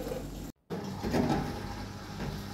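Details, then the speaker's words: Beko dishwasher after repairing a stuck drain pump, final test cycle: steady low pump hum with water rushing through, even and unbroken; drain pump clearing water normally. "Hi dear friends, now you can see it's draining already. Our job already finished. Now we can hand over to the customer, and you can hear the noise. You can see the draining. Water pump is working."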